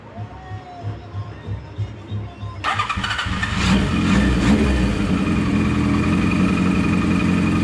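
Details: Kawasaki KZ900 four-cylinder started following a loud clutch-side noise on the road: cranks and catches quickly, then steady, even idle with no clutch-side clatter; normal idle.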